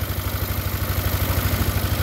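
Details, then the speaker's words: Yamaha NMAX scooter after repair of a loose, non-pressing tensioner that caused a harsh rattling engine noise: even low putter about eleven beats a second with no clatter or rattle; smooth normal idle. "oke kita tes sekali lagi nah motornya halus kembali ya"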